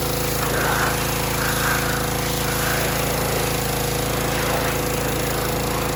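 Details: Harbor Freight Predator pressure washer, bought as junk, whose unloader had been misassembled, possibly damaging its seat: steady small-engine drone that keeps bogging and recovering with the trigger squeezed; unloader cycling, needs adjusting down at the bolt.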